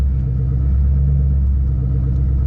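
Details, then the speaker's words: Ford Mustang GT V8 with WOT Box two-step launch control, tested stationary after fixing issues: deep steady rumble held at fixed revs with no misses or stumbles, the launch limiter holding rpm cleanly. "okay so first thing i'm going to do is just test the launch control people are going to hate me here but this is what's going to happen looks like it's working pretty well"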